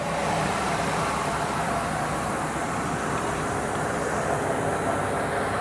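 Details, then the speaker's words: 2000 Ford Excursion XLT 4WD, 6.8L V10 Ford crate engine (~15k miles, 141k on body) with cold air intake, hood open: quiet, smooth, even idle with a soft steady hum, no ticking, knocking, misses or smoke; normal healthy idle. "Sounds really healthy. If you guys know, this 6.8 liter V10 is a really nice motor."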